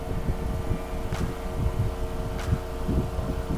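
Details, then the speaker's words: Chevy C2 after replacing the coolant temperature sensor for code P0125: radiator fan switches on at 104 °C and runs with a steady whoosh and even low hum, no rattle or grinding, shutting off at 91 °C; normal. "104 Ya entró el ventilador y ahorita vamos a esperar a a ver cuánto se apaga ya abajo 97 nos apaga"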